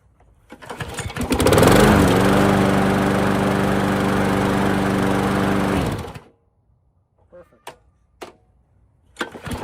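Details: 1990s MTD mower with Briggs & Stratton Quantum engine, after replacing the worn flywheel brake pad that caused grinding at shut-off, starts, runs steadily and cuts off clean and quiet with no grinding.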